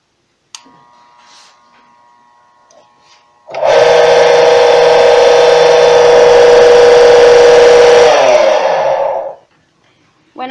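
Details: Submersible cistern pump that gives no pressure, powered via alligator-clip leads: loud steady electrical hum with no spin-up, motor only vibrates without turning; working coil or capacitor suspected, not confirmed.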